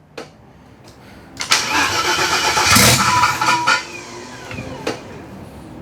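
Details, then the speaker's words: Project car started on jumper pack after new fuel and oil lines: cranking, rough catch and short rev with metallic rattle on top, owner says flex plate making noise, WD40 smell. "okay that's the flex plate making noise uh I can smell WD40"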